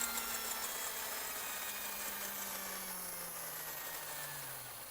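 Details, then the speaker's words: RC vehicle on shoebox test, wheels off the ground: smooth electric whine falling in pitch as wheels spin down, no grinding or clicking; transmission, motor and steering all working, though throttle is inverted. "Alright, so we know the transmission works, we know the motor works, and we know that the steering mechanisms in here are working."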